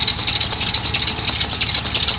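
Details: 1995 Dodge Ram 2500 van, 5.2 V8, at steady idle: constant high, chirpy squeal from the belt drive, exact pulley not yet pinned down; suspected bad tensioner pulley bearing, being sprayed with WD-40, not confirmed.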